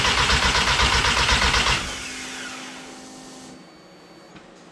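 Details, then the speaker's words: Mk1 Rabbit with ABA turbo engine on E85, borrowed battery, injectors and coils just plugged in: starter spins the engine at an even four turns a second with no firing, then cuts off; crank no start because the coil was not grounded. "I know. I know. The coil is not grounded. How about that?"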